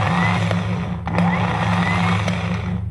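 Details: Starter motor from Cummins 6BT-repowered Oshkosh plow truck, previously intermittent then dead, bench-tested after reassembling brushes and brush holder: steady even whir, constant pitch, no grinding; spins freely and healthy.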